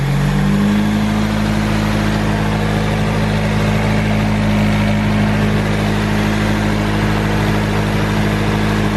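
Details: Nissan 240SX S13 SR20DET with 3-inch eBay EMUSA catback now fully bolted: steady idle after a blip, deep even drone with no puffing or ticking from joints; normal exhaust note, sealed.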